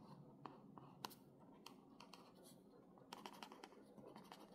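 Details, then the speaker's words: Newly bought reMarkable 2 tablet, stylus writing on the screen: short scratchy strokes with thin squeaks and popping, more like a marker on a whiteboard than pencil on paper. "doesn't sound like paper sounds like a marker what is that why is it making that sound"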